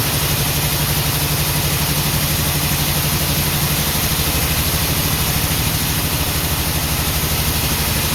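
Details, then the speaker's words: 1949 Ford F1 with owner-rebuilt engine, first run after sitting 20 years, choke partly on, fuel pump on, no working water pump: lumpy idle with a regular stumble in the exhaust pulses; owner says it is missing on one cylinder. "It's definitely missing on one cylinder, but this is good."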